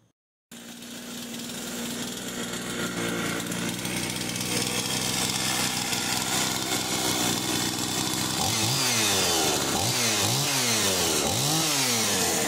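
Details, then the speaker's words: Husqvarna 51 chainsaw after installing a new piston ring, which raised compression from 140 to 150 psi: starts and climbs to a crisp, steady high-pitched scream, revving cleanly with strong power. "Right, she sounds good. Plenty of power. Went from 140 pounds of compression to 150 just by changing a ring."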